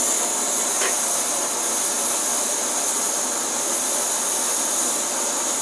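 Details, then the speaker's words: MSR Whisperlite Universal stove run with a Primus Himalaya Omni Fuel pump, boiling 40 oz of water: steady, even roaring hiss without sputtering or pulsing; burner at full flame, rolling boil reached. Normal burner roar. "we have reached a good rolling boil at this point everything is really cool working good again"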